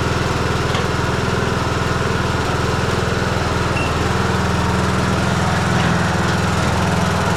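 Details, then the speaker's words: Troy-Bilt Bronco 42-inch riding mower after a blade belt replacement, single-cylinder engine at steady speed: raspy, flat, loud exhaust note; mechanic suspects a hole forming in the muffler, unconfirmed. "I think he's getting a hole in this muffler. That sounds funny."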